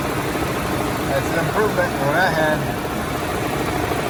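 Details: 2011 Chevy Cruze 1.8L at normal idle after cooling fan motor assembly installed and fan shroud bracket secured, AC on full blast: smooth, even idle under a steady rushing fan, no rattles or knocks; sounds healthy.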